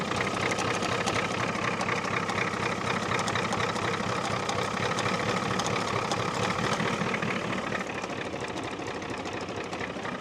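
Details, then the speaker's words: 1989 Ford F250 7.3L IDI diesel after sitting six years, just started and puffing a little smoke: an uneven, lumpy idle with loose knocking that stumbles and fades, barely running. The owner suspects air in the fuel or an injector pump problem. "it's barely running right now I don't know what's happening unless we've got to hold to some more air or something"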